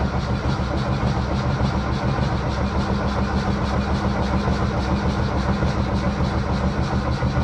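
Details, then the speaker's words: 1978 Lada Niva, last started two years ago and parked in a hedge, choke pulled, oil pressure present; starter turns the engine briskly and evenly with steady compression, fuel delivery doubtful: normal cranking speed. "Then let's try to turn the engine over. Oh, it sounds really good. It spins over quickly and nice."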